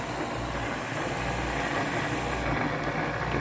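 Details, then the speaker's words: LG WM4200HWA front-load washer: steady coarse grinding rumble with no rhythm from low in the machine, worse than during wash; drain pump grinding, fixed by replacing the pump (AHA75853803). "now it's grinding even more than the wash cycle coming from here"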